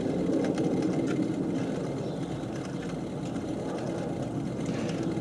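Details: Replacement pump after vibration and rubbing complaint, bench-tested with dial indicator at about 450 RPM: steady motor hum with uneven scraping rattle as it shakes, impeller rubbing on diffuser; smooths out above roughly 950–1450 RPM.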